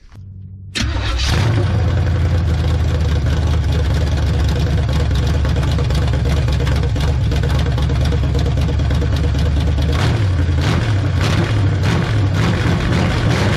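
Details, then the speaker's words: 1970 GMC engine reassembled after years out of the truck, run briefly with no cooling system while the fuel pump is suspected of not delivering fuel: it cranks, catches within a second and settles to a strong, even V8 idle with no ticking or knocks; sounds healthy. "but she's fire and she's running and she sounded pretty"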